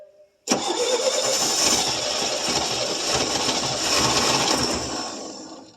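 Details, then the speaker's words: 1966 GMC half-ton, 250 inline-six, first start after about two years sitting, HEI just connected, plugs not fully tight: long steady cranking that never settles into a firm run, starved of fuel; it backfired, then ran poorly. "Yeah, probably don't need choke. Get. Get. she's really thirsty."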